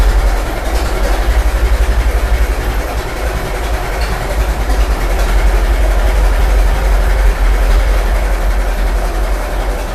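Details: Restored 1921 American LaFrance fire engine after its finished restoration: a slow, even low chug of about four pulses a second, steady with no knocks or misses; the old four-cylinder idles healthily.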